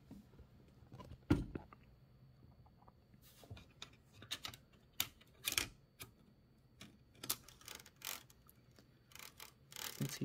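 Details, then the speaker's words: Torpedo 18B typewriter carriage moving; irregular sharp clacks and loose rattling bursts, caused by misadjusted spacebar trip on escapement rocker, rattle gone once corrected. "terrible sound watch what happens no more rattle that means the problem is the escapement rocker spacebar not sure if it's a spacebar's fault or something else but actually the spacebar's fault"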